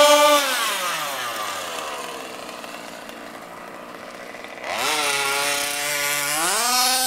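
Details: HPI Baja SS RC car with Zenoah G320 engine and V2 Dominator exhaust, rebuilt, on 91-octane ethanol-free fuel with Bel-Ray oil at 32:1; high-speed needle test: shrill two-stroke winds down to idle then screams back up, thin sharp top end, slightly lean (later corrected).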